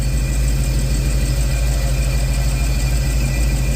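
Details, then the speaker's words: Chevy Caprice on ACES fuel injection with a new fuel pump, injectors, coils, plugs and MAP, crank and cam sensors: deep, even idle with no ticks or surging, and the earlier noise is gone. Owner suspects the unchanged fuel line or fuel filter regulator if it returns. "But guess what? We don't have it, man. I'm excited. We don't have it."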